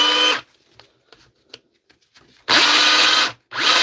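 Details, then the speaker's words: Dewalt DCH273 SDS rotary hammer drill after a repair and reassembly: short free-running bursts with a harsh, rasping grinding whine instead of a clean motor note; internal grinding, cause unknown. "I don't like a s that at all she's a about grindy sir I don't like her"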